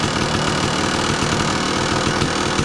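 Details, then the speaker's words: 2002 Kawasaki KDX 200 two-stroke, low hours, recently tuned, choke off, busy crackly idle holding steady without dying or surging while warming up and still smoking; KIPS valve fairly quiet; normal idle. "I just use to start the bike and then the bike idles and runs great you know you can run it all day it's the same and this one is you'll notice the Kips valve on this one is fairly quiet"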